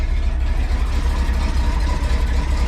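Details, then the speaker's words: Ford F150 at idle after exhaust header reinstall, sat about three weeks; smooth even low rumble, no ticking or puffing at the manifolds, exhaust now exiting the tailpipe not the header; normal idle, header leak fixed. "no exhaust leak now it's coming straight out of the exhaust not the header"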